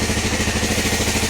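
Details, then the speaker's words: 1993 Kawasaki KLR650 single-cylinder, first start after head gasket and timing chain work, idling in neutral, run about a minute: steady, even thump with no knocks or ticks, sounds good. "Aha. Sounds good. So far, only ran for about a minute so far."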